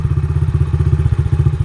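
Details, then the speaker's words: Carbureted dirt bike at idle after turning the mixture screw, which proved a fuel screw: steady thumping idle that begins to sag, typical of a rich pilot jet circuit. "Now it's starting to drop. And that's what typically happens when it's too rich on the pilot jet circuit."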